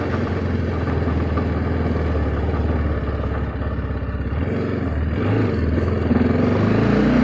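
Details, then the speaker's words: TVS Apache RR 310: uneven light knocking, about three per second, from the chain area when the throttle is released while moving, louder over rough roads and speed breakers and riding solo; owner suspects chain slap, possibly lacking slipper clutch. "there's some annoying sound coming from the chain when I release the accelerator and when the vehicle is moving we get some kind of knocking sound"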